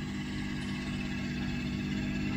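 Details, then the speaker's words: 1992 Mercedes 600SEL at cold idle: smooth, steady idle with a loud constant droning hum from the mechanical secondary air pump, which then shuts off; normal air pump noise for this older car, though annoying. "I'm just still waiting for the air pump air pumps on these cars mechanical air pumps they are quite loud that is true quite annoying but it is what it is"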